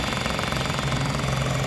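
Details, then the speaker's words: 2013 Nissan Altima 2.5 S at idle: heavy shaking rumble with a rattly buzz, the engine thumping through the body because a cracked, busted motor mount makes the motor shake and vibrate badly. "and it's cracked. It's busted up. It's causing the motor to shake, vibrate real bad."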